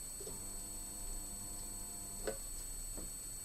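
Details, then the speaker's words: Upcycled band-saw-blade welding machine powered up during a function test: low, steady mains transformer hum for about two seconds, then stops; normal. "und auch mal zur überprüfung dass wir keinen strom drauf haben und erachtet hört ihr das summen"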